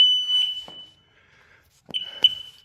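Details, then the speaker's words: Sea-Doo RXT jet ski after rebuild with machined sleeves, oversized pistons and new pump, key-on: short sharp high-pitched gauge chirp, then a second brief chirp, possibly a low-fuel warning; speedometer not moving, RPM gauge works. "And I think we should just say fuel low as a chirp, possibly."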